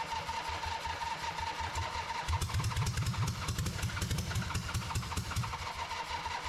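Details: Harley V-twin in an off-road trike build, just rebuilt, with choke and a little fuel. Cranking catches at about two seconds into a lumpy, uneven but sustained run. The ignition timing needed a significant change; normal start and running.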